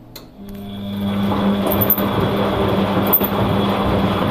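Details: Bosch WFF 1201 washing machine after disassembly and reassembly: during the final rinse with a full tub, a high-pitched whine rides over the drum rumble while spinning and goes away once the water drains; owner wonders if the belt is slipping.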